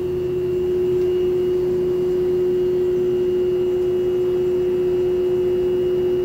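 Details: Lloyd inverter AC, installed April 2023 and under warranty, makes a loud, steady high-pitched hum like a held train horn over a faint hiss since installation; not resolved despite 2 service visits.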